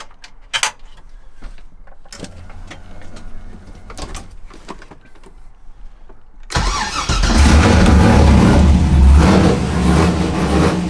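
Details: Mazda FD RX-7 with rebuilt 2002 LS6 V8, Trick Flow cam, essentially straight-piped exhaust, started from the driver's racing seat; quiet clicks, then a loud, lumpy, deep rumble revving cleanly. Normal running, straight-pipe exhaust.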